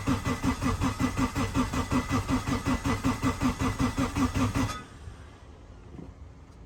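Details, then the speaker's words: Turbo K-swapped Honda CR-V first start attempt with tuner: steady even cranking about 2.5 pulses a second for five seconds without firing, fuel smell noted and fuel pump possibly not heard; crank no start, cause unconfirmed. "Don't want to put him on blast, but yeah, we're gonna try to crank her right now."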